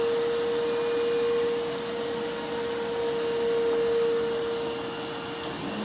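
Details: Bissell Lift-Off Multi Cyclonic Pet vacuum, model 89Q9, made 2013, 7 years old, worn cord latch: steady mid-pitched motor whine holding an even note, no rattles or surging, running normally.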